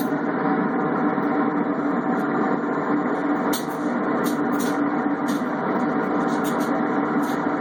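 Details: Cabrio washer: loud steady roar with constant hum, no knocking, much louder than it should be, cause unclear; loud running noise.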